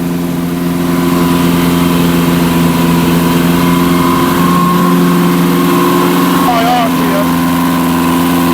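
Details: Barn-find Zastava 850 after coil change and points and ignition work: settles into a fast, steady run without dropping to normal idle; high idle, throttle suspected stuck, unconfirmed.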